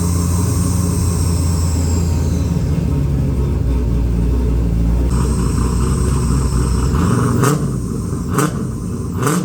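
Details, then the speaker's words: XG ute, converted from carby to Holley EFI, first start: engine catches without throttle help (no throttle cable, idle screw turned up a turn or two) and settles into a steady, even low rumble at idle; normal start and idle. "all right very happy to hear it run on fuel injection um after I uh gave it turn the idle screw up a fair bit it uh fired up without touching the throttle"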